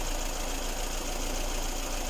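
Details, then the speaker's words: Lada Kalina engine fully warm (about 90–100 °C), after timing belt and roller replacement, belt whistling treated with silicone lubricant and covers refitted: even, steady idle hum with no whistle or chirp from the belt area; runs normally. "все вроде собрал все кожухи точно ничего не шумит все"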